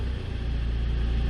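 Low, steady diesel idle with an even beat and no hunting or raised revs; the engine is idling normally.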